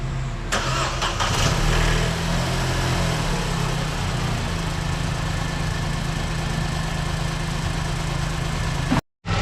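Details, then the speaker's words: Vauxhall Corsa 1.0 XEP after timing chain and water pump replacement, fresh antifreeze, first start: catches quickly and settles into a smooth, even idle with no start-up rattle, far better than before the repair. "And there we go, that is one engine back up and running, and it does sound 10 times better than what it did when before it came in."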